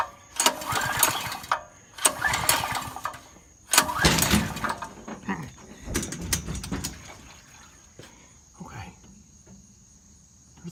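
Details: Brand-new Powerhorse 4000 generator, first start after unboxing and fueling: a few pull-start cranks, then the engine catches and settles into a steady, even run; it sounds healthy.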